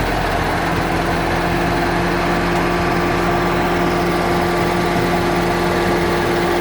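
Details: 2014 Ford Mustang 5.0L V8, 9,500 miles: fast, light ticking over a steady idle hum; dealership has not found the cause; engine ticking of unknown origin.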